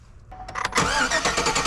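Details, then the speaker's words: 2003 Chevy Silverado 1500 cranking with a screwdriver in the fuel rail test port under the engine cover: starter churns steadily but the engine never fires and no fuel comes out, so fuel isn't reaching the rail; failed fuel pump. "and all right as you can see no fuel came out so you know fuel is not actually getting to the fuel rail from the engine"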